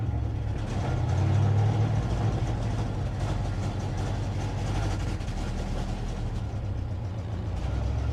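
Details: 1957 Dodge Texan after first start from sitting since July 2023: low uneven lumpy idle with no clean rhythm; carburetor squirting from only one jet, probably a huge vacuum leak because its body is loose on the base.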